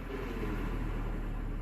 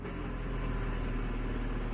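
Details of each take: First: 2011 Scion tC manual transmission, idling with clutch pressed in: steady low idle rumble, no whir or rattle from gearbox; runs fine, contrasting input shaft bearing noise heard with clutch out in neutral. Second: 2011 Scion tC manual transmission, clutch out in neutral: steady low drone with faint whirr, silent with clutch in or in gear; worn transmission input shaft bearing, not the release bearing.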